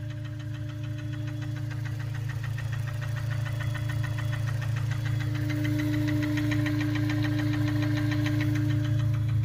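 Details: Honda S2000 idling with a steady regular knock of three to four hits a second; owner suspects rod knock or timing chain tensioner, undetermined.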